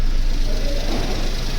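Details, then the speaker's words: Maruti Wagon R automatic after replacing the clutch bearing, flywheel bearing, clutch and main oil seal: steady low idle with an even hum; the earlier "kach kach" gearbox noise from the worn clutch bearing is completely gone. "जो पहले आवाज थी वह बिल्कुल भी नहीं आ रही है पहले काफी आवाज आ रही थी लेकिन जो साउंड है वो बिल्कुल खत्म हो चुकी"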